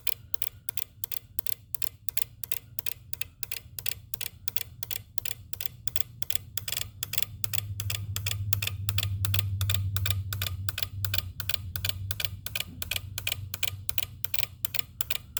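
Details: 2018 Jeep Wrangler JL with auxiliary battery hooked up to a charger: sharp, even clicks about three a second over a low steady hum; cause not stated.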